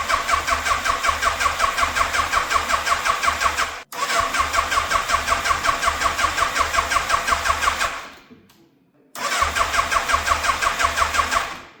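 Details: 1988 Yamaha FZ750 Genesis, fire-damaged, just after a carburetor rebuild, choke fully out: a lumpy, pulsing beat hunting between about 2000 and 1000 rpm, cutting out twice and restarting, and cutting out as the choke comes off. Rough running on choke.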